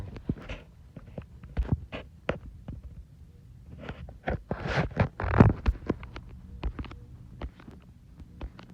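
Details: Hunter ceiling fan, a slow-type fan in a home office, running on medium. Soft, uneven thumps and ticks pulse over a low hum; the owner notes a bump. Throbbing noise, source not identified.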